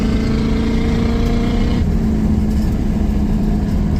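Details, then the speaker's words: 1985 Mercury Marquis police interceptor, 351 Windsor (5.8) V8, posi-track, timing 12° base/36° advanced: after fixing the no-burnout problem it pulls hard with a deep, steady rising roar, dropping off as throttle closes; strong, healthy acceleration. "Oh yeah, it moves now. It has all the get up and go, all of it."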